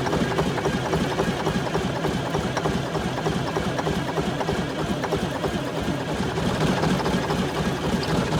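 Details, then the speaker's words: 1978 Chevy Bruin truck with 8V71 Detroit diesel, long unused, starting fluid used: labored uneven cranking about 200 per minute with ragged firing that won't settle; won't keep running, owner suspects starter and low batteries. "okay well first attempt was somewhat unsuccessful does want to run but uh I'm going to have to try to keep that starter tightened up"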